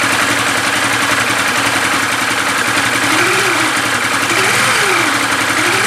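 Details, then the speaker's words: 2013 New Vixion single-cylinder engine after rebuild with new piston, block and parts (fault was oblique piston and block, first thought crankshaft): quick even putter and smooth blips with no knock or rattle; runs healthy. "lelei ma lamolemole le afi, bro, siaki le leo lea ua lelei"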